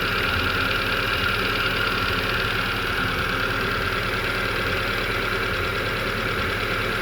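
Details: Hyundai Getz after engine rebuild, coolant filled and bled, old contaminated coolant due for flush: even idle with a light valvetrain tick, no stumble or misfire.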